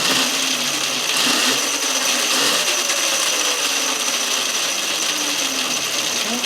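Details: Electric-converted Yamaha WR250 at around 90 volts after front motor mount reinforcement and chain tensioned just past the 38 mm minimum: steady high electric whir with light even chain hiss, no rubbing or clunks; forward drive runs normally.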